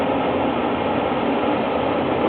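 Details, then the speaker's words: 1998 gas furnace ECM inducer motor spinning up: continuous gritty winding and grinding over steady drone, also noisy spinning down after burner shuts off; sometimes throws trouble code and won't fire burners; worn bearings suspected. "when this thing spins up the speed you'll hear them down here just winding and grinding away and this also shuts off short of the burner when the burner shut off this motor starts to spin down and it makes all kinds of ruckus"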